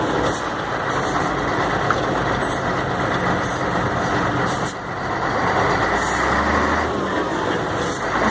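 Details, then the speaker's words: Mercedes-Benz 1634 diesel truck road test just after differential reassembly, previously whining on lift-off: steady engine and road noise with no howl off throttle; noise gone, differential now quiet. "acabou o barulho Acabou lá acabou rapaz roncava feio você viu agora já acabou resolveu o problema"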